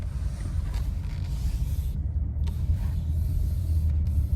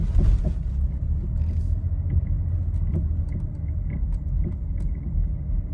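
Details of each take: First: Nissan Rogue with newly replaced engine, retested over the same parking-lot bumps after the sway bar link not seated tight against the strut, the likely knock cause, was found: only low even road rumble, no front-end clunk; suspension quiet. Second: Nissan Rogue driven just after an engine replacement at another shop, with no mileage on the new engine: dull single knocks at uneven gaps over small bumps under the road rumble; a loose, worn sway bar link.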